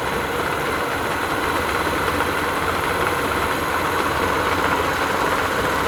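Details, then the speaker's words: Yamaha 50 outboard at idle after fitting a new water pump impeller (old one had bent, hardened vanes causing overheating at idle) and reinstalling the gearcase: steady even drone, no knocking; water flow now comes up properly. "Установили редуктор, запускаем мотор. Сейчас посмотрим, как пойдет вода на холостых."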